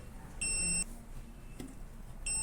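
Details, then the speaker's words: Arduino-controlled buzzer with its delay raised to 2000 milliseconds: two clean, shrill beeps about two seconds apart in a quiet room, so the buzzer works correctly. "you can hear buzzer is beeping slower as I have increased the delay seconds to 2000 milliseconds."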